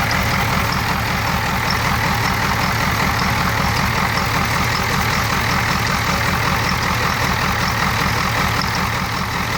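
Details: 1994 Ford 7.3 IDI diesel at idle with heavy clatter and an uneven, loping beat of two to three pulses a second; rough idle, but it runs normally under throttle.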